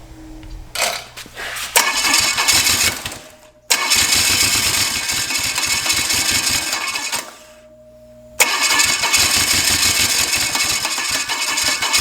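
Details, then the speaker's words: Chevy 283 small-block on one head (four cylinders, homemade CNC head gasket), morning start with a coolant leak at one of the bolts: rapid uneven cranking with harsh coughs that never catch, badly flooded. "and it's flooded like crazy right now this morning"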